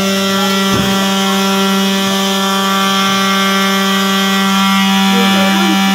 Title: I believe every apartment has experienced one time about Fire alarm making noise..like this one.